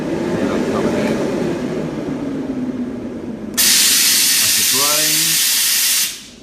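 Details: Abac screw compressor, Genesis controller run test, condensate drain valve actuated: sharp steady hiss of air and water bursts out for about two seconds then cuts off cleanly; drain valve discharging normally.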